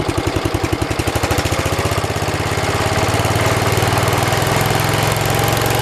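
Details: 1973 112 tractor, Kohler K301 single-cylinder, after head gasket replacement and valve adjustment (8 and 17), warmed up after about 15 minutes: even slow-idle thump, then throttles up smoothly to a steady faster beat without misses; normal running at higher throttle.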